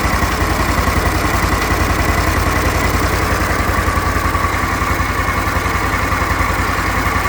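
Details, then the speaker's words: Briggs Vanguard repower in a Kawasaki Mule, restarted to check for earlier smoke, weak battery cables, off the ground: a smooth, regular low putter at steady idle with no knocks, misses or odd noises; it runs good. "It's not doing anything unreasonable."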